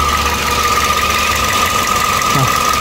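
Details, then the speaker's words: 2013 Toyota Vios Limo after right engine mount and stabilizer link replaced, fan belt refitted; steady high-pitched crying whine over idle, not a hum, also a noise after shutoff; water pump spins slightly noisy by hand, water pump suspected. "Ya pokoknya dia ada suara kayak begitu. Bukan dengung sih, kalau dengung kan ya dengung, kalau ini bukan, kayak apa ya, kayak nangis gitu."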